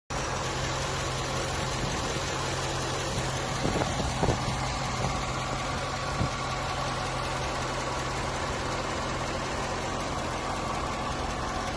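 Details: 2013 Chevrolet Corvette C6 V8 at idle, filmed by seller on an iPhone: steady idle with a few sharp ticks over a faint hum; buyer wonders if lifter, belt, or just a cold engine, cause unknown.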